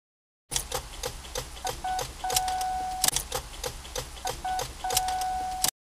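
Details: Car that won't start with a dead battery: scattered quick clicks around the ignition and dash, with a dash chime going on and off and no cranking at all; the battery is too flat to turn the starter.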